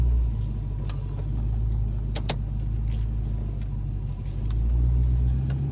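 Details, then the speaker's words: 1994 Ford Mustang GT Convertible automatic, after transmission pan drop with new filter, gasket and fluid, which cured bad shuddering: backing out and pulling away with even engine rumble, no shudder or clunk. Smooth engagement. "And you should pretty be able to tell here that there's no shuddering in this transmission."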